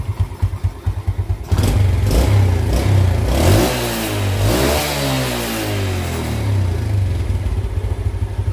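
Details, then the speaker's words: Yamaha Jupiter Z after repair of severely weakened compression (earlier weak on climbs, stalled at idle): even idle pulses and clean rises and falls in revs with no misses; it runs normally. "Saya jamin kalau seandainya ditanjakkan ini tenaganya sudah normal lagi Oke karena penyebab atau kendalanya itu hanya di bagian kompresinya yang sudah melemah sangat parah sekali"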